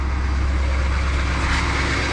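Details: Truck camper diesel after a stall from air in the fuel, air bled out of the filters through the bleeder screw, filter housing bypassed: deep, even rumble with no stumbling, misses or surging; idling smoothly.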